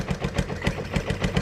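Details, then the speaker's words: Honda XR100 single-cylinder, first start after 6 years stored and rebuild with new carb: idle slows, uneven and sags toward stalling once choke is off, recovers with choke on; idle mixture or timing suspected, idle screw adjusted. "So then you've got to, you know, if you're just sitting there on the bike, you got to sort of just flick the choke down again to keep it running, like I've done now. So flick the choke up, which I've just done, you can hear it dropping."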